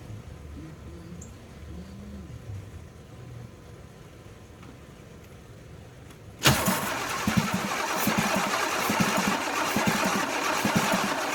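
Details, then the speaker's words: 1982 Pontiac Firebird engine unstarted for over 22 years, cranked with carburetor off to pre-oil the block; quiet first half, then the starter spins it with a steady chug about four times a second, not firing; normal cranking. "this has not cranked for over 22 years easy so I'm about to put the carburetor on but I'd like to pre-oil it"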